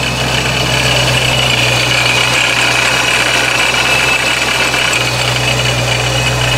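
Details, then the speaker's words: Procharger-supercharged Scat Pack at idle: a loose, gravelly rock-crusher rattle clatters unevenly over a steady drone. It is much reduced with a slight rpm rise but never fully gone. Rattle at idle, source unconfirmed. "so as you can see it still has some of the rock crusher sound but not nearly as much just because that little rpm"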